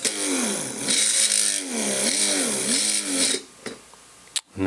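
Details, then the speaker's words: Innocraftsman mini drill press drilling metal at full speed with barely any pressure: motor pitch sags and recovers repeatedly, then the whine drops out abruptly; the motor is overloading, bogging down and cutting out. "Let me get my finger so you can see. I'm just putting I'm barely touching it and it's bogging down."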